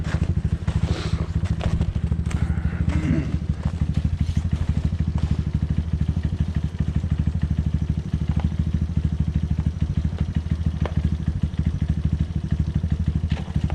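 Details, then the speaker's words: 1986 Yamaha Moto4 YFM200DX ATV, which sputtered under throttle and idled poorly: uneven single-cylinder burping about three times per second under throttle, stumbling rather than pulling; sputtering engine, carburetor to be removed and cleaned. "it's still burping pretty good it sounds like yeah I hear it"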